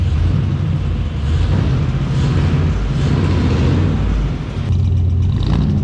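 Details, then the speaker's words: 1990 Chevrolet Suburban squarebody with 6.0 LS swap, new true dual exhaust with glass packs, manifold-to-pipe gaskets not yet fitted: deep loud V8 idle with uneven rattly rumble, likely from those unsealed joints. "yeah we don't have the gaskets in from you know the headers well i mean manifolds to the pipe that's probably where the rattle's coming"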